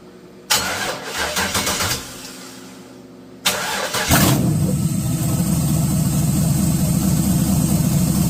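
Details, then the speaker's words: 1986 Chevy Caprice with swapped 5.3 V8, cam and 4L60E, started on a 60 tune, power steering lines unhooked, belt too short; brief crank then deep loping idle with uneven chop: healthy cammed idle. "She's fired up. We We'll throw make it sound like got a little more chop, but that's okay."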